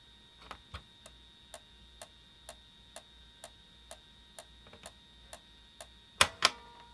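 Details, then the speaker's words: PS1 console with a game disc inserted gives sharp, steady clicks about twice a second and no spin-up whir. The disc does not move and it boots to the disc menu, so the fault is in the disc drive, with the laser suspected. "same thing i can hear it clicking but i can't see the disc or i can't feel the disc so it's something to do with the actual disk drive itself"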